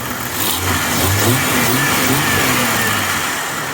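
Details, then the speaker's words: 1996 Jeep Cherokee XJ just after installing a throttle body spacer: engine climbs smoothly through a couple of revs and settles back evenly, no misses, knocks or hesitation; runs slightly better, normal revving. "oh sounds like she runs a little better"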